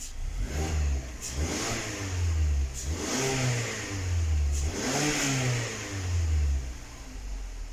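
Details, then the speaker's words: 2019 Mazda 6 GDI engine: repeated revs with uneven, stumbling note and irregular pulses, long cranking and engine shake; P0300 random misfire persisting after new spark plugs and coil swaps, fuel injectors replaced as the fix. "والسيارة فيها الترتفة وهذه اهتزاز لمبة الماكينة ولا طبعا لاحظوا عندي هنا أغلبها كلها فيها مسفاير."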